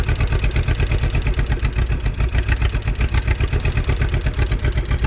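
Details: 1951 Willys CJ3A Jeep four-cylinder after 52 years off the road, now fed through a gravity-primed fuel line with a working fuel pump. Even, loping chug of about four pulses a second, no knocks or misses; running fine.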